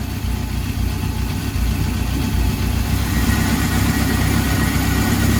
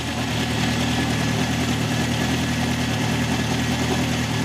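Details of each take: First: 1971 Honda CB750 K1 original survivor, about 18,000 miles, after carburetor synchronizing and clutch work. The four-cylinder fires up and holds a steady, even idle with no misses, and it started without choke. Runs healthy. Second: 1971 Honda CB750 K1, 18,000-mile original bike, hard starting and running poorly. It has an uneven, lumpy, loping idle; carbs are badly out of sync, with cylinder one showing almost no vacuum. Ignition timing checked spot on.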